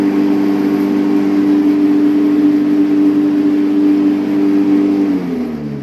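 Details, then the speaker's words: Electric lawn mower with brushless capacitor-start asynchronous motor, reassembled after repair of hum-but-no-start fault (bearings blamed): smooth, even motor hum at steady pitch, then clean spin-down when switched off; runs normally. "работать отлично есть положительный результат"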